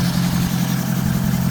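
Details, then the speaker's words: Range Rover TDV8 4.4 diesel V8 idling after a complete engine overhaul: steady, even low rumble with no knocks or misses; engine running well, radiator and bumper still to be refitted before a road test. "We are doing the engine overhaul. The car is okay now. The engine is running."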